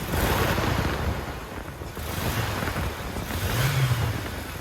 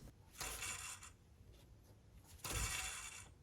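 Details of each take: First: 1998 Toyota Tacoma after replacing its three drive belts (alternator, A/C, power steering) and idler pulleys, belts tensioned to about half-inch deflection; engine revved lightly, rising and falling cleanly with no squeal or chirp, so the belts sound quiet and healthy. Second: 1998 Toyota Tacoma idler pulley spun by hand during drive belt replacement, giving a dry, gritty rasping whir each spin: worn idler pulley bearing, pulleys being replaced with the belts.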